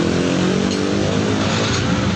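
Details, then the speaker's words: Yamaha NMAX 155 after its fuel pump was replaced: steady, even engine note with a smooth rhythm and no misses or knocks; the scooter runs normally again. "Nah, oke, motor kembali normal lagi teman-teman. Sudah hidup, sudah normal, dan sudah bisa ngacir lagi."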